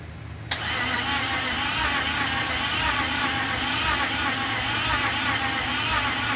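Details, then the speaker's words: 1967 Ford F100 with a 5.7 Hemi fitted with Eagle heads and pistons, first start attempt: the starter turns over sluggishly and evenly and the engine never catches. The battery is down to 9 volts and still too weak even with a jump, giving a slow crank with no start. "the battery's too dead it's down to nine volts so we're gonna have to charge it probably jump it"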